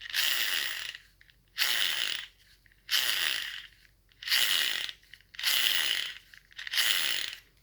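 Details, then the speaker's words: Gel blaster gearbox (SCAR build) turned by hand with spur gear shims deliberately misplaced: rasping, gritty grinding bursts about every second and a half; gear grinding from incorrect shimming, gone once shims are put back correctly. "That's the noise you do not want to hear."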